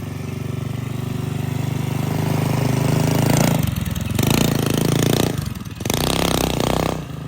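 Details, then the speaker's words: Rebuilt stage 3 Predator 212cc non-hemi mini quad being ridden hard after air-fuel adjustment (earlier suspected lean, possibly now rich); revs climb and drop cleanly with even firing; sounds good, plenty of power. "sounds pretty good this thing's got some beans behind it now"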